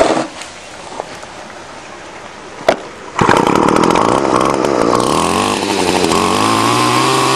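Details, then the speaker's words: Two-stroke weedeater string trimmer after fixing broken fuel lines and cleaning the dirty carburetor: a couple of pulls, then a steady even high buzz with no stumbling or misfire; working perfectly. "okay i've fixed the fourth one now it was just broken fuel lines and a dirty carburetor let's see if she fires up"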